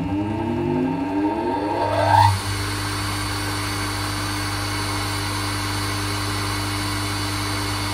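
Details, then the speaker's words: Three-phase motor on a 240V single-phase supply with a marked dimmer, wiring tidied: the hum climbs quickly when given extra power to start, then settles to a steady drone when turned down; it runs fine with good torque. "and then we can turn it down to there and it runs all fine you can't stop it with your fingers i mean the torque there is perfectly okay"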